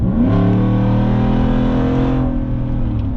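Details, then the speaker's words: Ford F-150 under a hard rev: a loud, raspy exhaust note climbs and falls, harsh and unmuffled. The muffler and tailpipe slid off, so it runs open behind the resonator. "She sounds kind of cool. I might. I love that raspiness. But it's not like a Borla attack raspiness. It's a little calmer, tamer, if you will."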